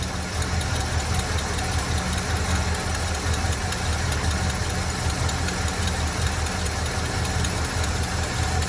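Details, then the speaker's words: Chevy C30 square body Mason dump, inoperable Copart truck after an under-hood fire, just fired up with the fuel pump rehooked: big V8 idle with a light, fast tick from the exhaust leaking at the unsealed exhaust ports. "We got to seal off our, I just pinched them shut. We got to seal them up. Hear that little tick tick from the exhaust."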